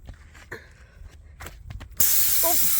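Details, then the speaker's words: Rear tire with two nails: a loud, steady hiss of air escaping as a nail is pulled out of the punctured tire, before reaming and plugging with a tire plugging kit. "And we should hear a lot of air coming out as soon as we remove this this nail."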